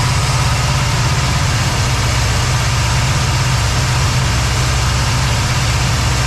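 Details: Cadillac ("Lil Debby") with a steady, even low rumble, no misses or stumbles, after fuel-system diagnosis of a brand-new but failing fuel pump; no fuel return yet, possible vapor lock suspected; return-style filter to be refitted. Normal idle.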